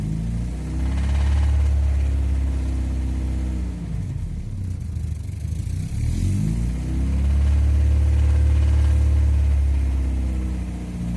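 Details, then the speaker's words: Alfa Romeo 166 2.0 TS petrol engine, oil full, revved up and down in repeated blips, a rhythmic knock on the deep engine note, like something loose such as a nut inside. "लगता है जिस तरह कोई चीज टूटी हुई नहीं, नट शट पड़ा होता है अंदर।"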